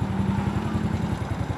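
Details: Motorcycle idling after battery service (the battery had gone two months unchecked, its water was nearly gone, it was crusted and would not start; cleaned and recharged). It now starts on the electric starter: even, quick low putter, steady rhythm, no misses or rattles, running normally.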